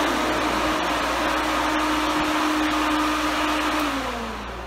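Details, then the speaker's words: Twin electric radiator cooling fans, about 5000 cfm for a 1968–72 GM A-body, wired through a relay setup and switched on at full blast. They give a strong, steady air rush and hum and work properly. "okay so those fans are not playing around they are pulling a huge amount of freaking hair"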